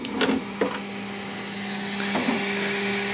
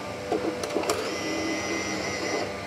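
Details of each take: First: Bambu Lab X1 Carbon AMS after firmware update, loading attempt: feeder motor whirs in short start-stop runs with nothing feeding; AMS reports nothing loaded, load fails because a broken piece of filament is stuck in the filament detection sensor. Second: Bambu Lab X1 Carbon AMS feeder, customer unit that stopped loading: after reinserting filament, a few clicks then a smooth steady motor whirr as it pulls filament in and back out, loading normally as expected.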